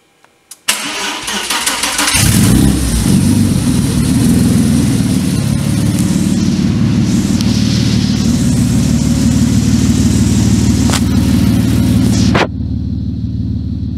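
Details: Renault 5 Maxi replica with an Audi engine, on its first-ever start day. Warm restart at 62°C coolant and 20°C air: a brief crank, quick catch and a steady, even idle at 720 rpm with no misses or knocks.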